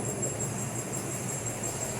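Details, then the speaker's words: Chevrolet Cruze after repair of a suspension noise, with the faulty parts replaced on both sides: steady low rumble while moving with no clunks or knocks; quiet suspension. "Apresentou um barulho justamente aqui ó na a e aqui ó ó é bastante barulho fazer um toque pronto inclusive o outro lado a gente também com se o amor o amor a conta E aí um lugar manutenção o programa a prova que eu só vou mostrar aqui funcionou e não faz barulho"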